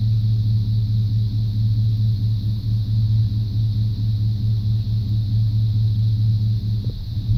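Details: 1995 Chevrolet C1500 350 TBI V8 with a steady but slightly uneven, lumpy idle; misfire persists after new plugs, wires, cap, rotor, EGR valve and coolant temp sensor, cause not pinned down.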